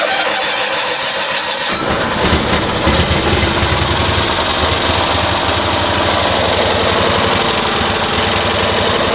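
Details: 1972 Cushman Truckster with new coils and resistor, air filter off, spark testers fitted: small engine runs choppy and stumbling with uneven firing, still misfiring at around 3000 RPM despite more consistent spark.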